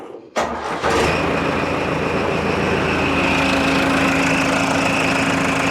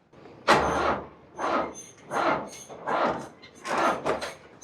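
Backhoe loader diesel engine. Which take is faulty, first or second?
second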